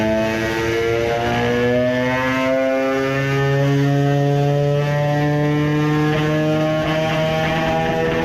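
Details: Moped two-stroke on the dyno with a newly made high-power expansion pipe: note climbs, dips and falters mid-range before pulling again, hesitating on acceleration under load; owner thinks it is running lean again, as before when a larger main jet was needed.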